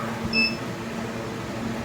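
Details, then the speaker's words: Havells UV Plus RO water purifier, PCB already replaced and lamp checked: short double-tone error beep over a steady low hum, machine not working; fault suspected in the UV lamp ballast. "PCB तो नया डाल दिए लेकिन फिर भी ये error आ रहा है। मशीन वर्क नहीं कर रहा है।"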